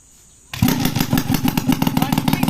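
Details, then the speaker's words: Restored Suzuki X4 engine: silence then engine catches straight away, steady even four-stroke beat, clean firing, no odd knocks; normal start. "So yan, buhayin natin mga kamekaniko. Yan, hawakan lang natin kasi medyo mabuhay."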